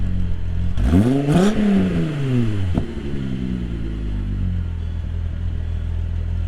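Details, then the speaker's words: MK3 Jetta GLX 12v VR6 after tune-up, misfire gone: clean rev blip rising and falling smoothly, then steady even idle with no stumble; running far smoother than before. "Guys, the car's running 100 times better. It's not misfiring anymore. It's super, super smooth. The car sounds super good."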